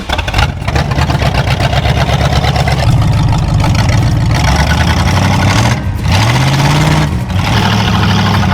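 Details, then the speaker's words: 1965 Dodge Coronet V8, just bought and started: idles unevenly with lumpy, stumbling beat and revs that hang and waver; runs rough but good enough to drive into the shop, cause unclear. "so i started it when i got it home from power one after i bought it and it runs it runs not good but it runs good enough to get it in the shop so we'll do that"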